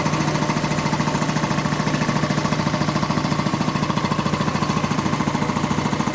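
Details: Quincy 325 air compressor on its final test run after a rebuild (cylinder head cleaned, valves rebuilt, hardened unloader seals replaced): crisp, very even pumping beat at about 3.5 strokes per second with no knock or rattle. Normal, healthy running.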